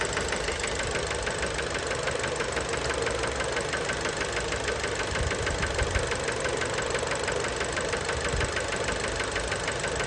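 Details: Fiat Bravo 2 1.4 T-Jet 150 HP at 215,000 km, after recent maintenance, idling, recorded close to the engine: sharp, regular knocking about three per second over the idle; worn rod bearings, cause unknown, car scrapped.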